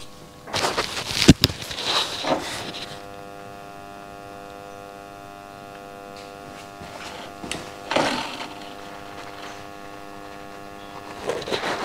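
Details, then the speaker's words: Loud steady buzzing hum from a pump in a newly moved-into house, with a few handling knocks; pump hums though not running, casing about eight degrees at the back, cause unknown. "No i nastała cisza w domu Generalnie i pierwsza wada tego domu Słuchajcie ta pompka buczy"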